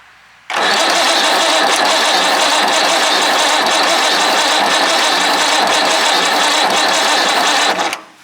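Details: Perkins 6/354 diesel in a White Super Power truck, not run for many years, cranked without ether: steady harsh starter whir for about seven seconds, never catching; long cranking, no start, smoke from underneath.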